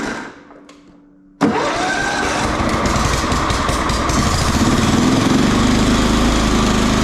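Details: John Deere STX38 riding mower, Kohler Command 13 engine, gravity-fed fuel, sat at least a year, started on choke: races at a high steady speed and climbs instead of idling down, over-revving; governor suspected, not confirmed.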